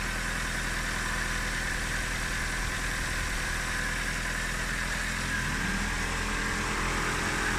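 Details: Nissan K11 Micra idling after oil and coolant change, warming until cooling fans cut in: even settled idle with steady low hum, no knocks, ticks or hunting; normal idle.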